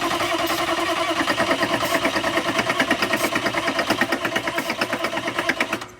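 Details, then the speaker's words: 1995 Chevy OBS 6.5 diesel, start attempt with ether: starter cranks at about three even compression beats a second, seems to want to fire but never catches; no fuel reaching injectors. "won't it start yep [Laughter] that's weird well you can hear once to fire but it doesn't fire"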